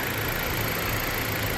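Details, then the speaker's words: Chevy box car started: even, steady idle with smooth low rumble, no knocks or misses, holding speed fine as the AC kicks on; normal idle with AC running. "it'll do that. AC popped on. No problem."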